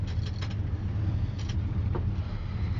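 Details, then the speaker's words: 1966 Ford Mustang, engine cold, ignition on: steady low whirr with faint creaks as the heater ventilation blower runs; works properly. "ventilation fonctionne on entend les voyant l'ampèm fonctionne la pression d'huile fonctionne"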